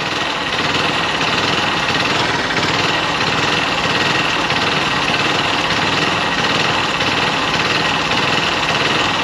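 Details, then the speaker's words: Hero XPulse Rally Edition after major engine work at Hero service centre, warm after riding from home: loud, steady fast idle rising on its own and never settling, like cold-start mode; owner worries about mileage — high idle when warm. "ನೋಡಿ ಹೆಂಗ rice ಆಗ್ತಾ ಇದೆ ನೋಡಿ ನೋಡಿ ನೋಡಿ ನೋಡಿ ಸುಮ್ನೆ ಇಷ್ಟ ಬಂದಂಗೆ ರೈಸ್ ಆಗ್ತದೆ"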